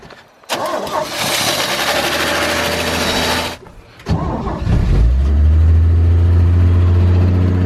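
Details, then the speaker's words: 1963 Chevy C10 pickup, sat for years, cold first start on choke: several seconds of cranking, a pause, then it catches into a smooth, fast, even idle, slightly high on choke; normal cold start, exhaust leak noted. "the first fire little man he high five look at that the idol is a little high i'm gonna just try to bring this choke down a little bit"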